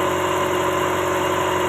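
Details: Toyota Starlet (kotak) at idle during a timing belt check; no end-play is found and the belt is judged normal: smooth, even low idle with a steady hum and no slap, chatter or whir; timing belt running true.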